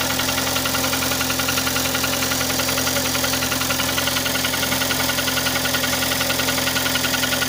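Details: Kia Sportage 3 idling with a regular knock about three and a half per second; louder cold, quieter warm, present at low speeds, gone at 60–90 km/h, returns on re-applying throttle; cause unknown.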